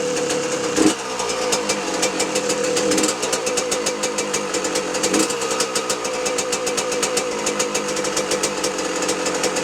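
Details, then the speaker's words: 2006 Yamaha YZ125 two-stroke after full engine rebuild, possibly smoking from the bottom: crackly idle with a fast, light, tinny rattle over the engine beat from screws still loose on the bike. "There's still a few screws loose on this bike, I can hear them watching this back, rattling about."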